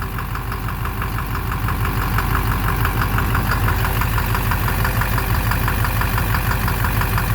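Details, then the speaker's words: 2009 Silverado 3500 Duramax LMM diesel dually, 59,900 miles, idling: steady evenly spaced tapping knock near the oil pan; owner thinks it is in the bottom end, cause unconfirmed. Oil analysis shows no abnormal wear; intermittent since 57,500 miles. "It's right in the bottom end. I think it's in the bottom end."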